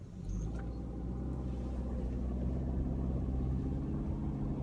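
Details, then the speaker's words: 2015 Subaru Outback 2.5 boxer, engine at 200° in winter: low, steady rumble with even throb and no knocks or ticks; standard boxer noise, owner says the bad motor noise is intermittent and not present here. "now that noise there that's standard boxer engine noise"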